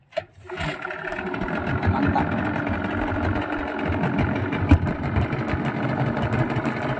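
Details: Yamaha 15 hp outboard that died at low rpm when shifted into forward gear, after repair of a leaking reed valve and clogged carburetor: catches at once and settles into a steady, even idle without dying.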